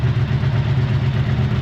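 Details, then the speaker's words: 1984 Honda V65 Magna VF1100C V4 barn find that lost power on a ride: running with an uneven, lumpy pulse; the pump works, all pipes are hot, cause unknown. "I'm going to let it run for a bit might take it around the block again but there's something not right"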